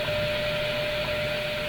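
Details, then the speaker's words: Philco 48-1826 console radio tuned around 15 MHz shortwave after restoration: steady mid-pitched hum about 600 Hz under hissy static; intermodulation hum. "There is an intermodulation hum."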